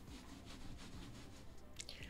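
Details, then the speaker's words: Lamzu Maya gaming mouse feet (mousefeet) scraping loudly when swept side to side, about two to three hissing scrapes a second; same noise on two different mousepads while other mice are quiet, so not the pad. "berisik banget pas gua geser kiri kanan gak bohong dah gak tahu kenapa ini mosfitnya kayak gua udah coba di dua mousepad yang berbeda"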